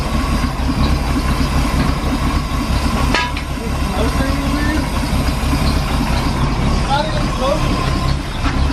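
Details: Chevy C10 V8, first start after sitting 10 years, running off a five-gallon gas can: a low, rumbling idle holds steady under background clatter, with no ticking or misses. Idle is normal.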